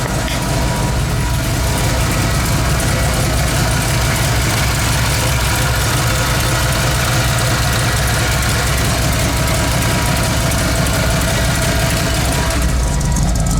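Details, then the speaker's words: 1985 Ford F-150 302 V8 after new copper header gaskets: steady, even idle with a smooth low burble and no ticking or puffing at the manifolds; no exhaust leaks, engine purring. "and then no exhaust leaks. That's absolutely awesome. Listen to this baby purr."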